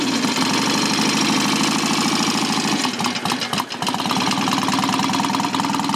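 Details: Customer's motorcycle idling after kick start without choke, ignition advance set midway; engine not stripped, standard gearbox. A loud, lumpy thump at about three beats a second, steady with no knock: healthy.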